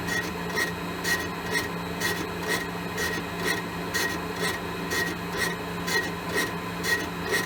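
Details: Elliot 14S mill, test pass boring a 6.5-inch cast iron hole, handheld recording: steady scraping cut broken by a regular squealing bite about once a second; tool catches only the high spots of an oval bore, wider section untouched.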